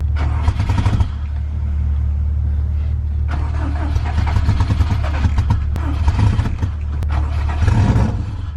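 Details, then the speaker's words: Subaru WRX after engine install: the crankshaft position sensor code cleared after a fix. Long, steady rhythmic cranking that never fires. Crank-no-start caused by the unplugged MAP sensor. "so our code for a crank sensor went away now I just not starting gotta figure that out"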